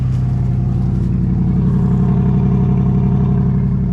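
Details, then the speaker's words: 1963 Mercury Comet 260 V8 right after the Autolite 2100 carburetor rebuild, no coolant in it, no wheels on; deep, even, smooth rumble with no misses or knocks, running as it should; slight bottom-end carburetor adjustment still needed. "that's the way a common supposed to run y'all let's think old man"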